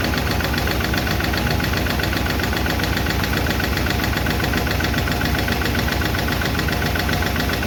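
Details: 1951 Chevy engine at idle after first fire-up and valve adjustment: light fast clicking about four per second over steady idle; number 4 intake and number 2 exhaust still ticking; valve lifter tick, may be re-adjusted.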